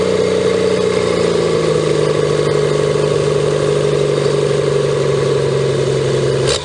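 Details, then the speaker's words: 1954 Pontiac 239 straight six revived after sitting for years, just restarted: slow, steady, even idle with a smooth low hum, no knocks or misses; healthy and warming up quickly. "i love that sound nice and slow we don't want her to get too hot"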